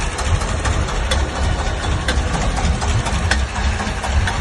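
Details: Engine knock at steady idle: a sharp knock repeating about twice a second over the low rumble, internal origin unknown.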